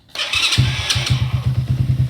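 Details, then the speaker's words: Supercharged NOS postie bike, very cold, started without choke after running the new fuel pump for NOS; a few ragged cranks and a stumble, then uneven firing into a lumpy run; reluctant cold start, possibly flooded. "I'll see if that starts now without any choke [Music] flooded it or something"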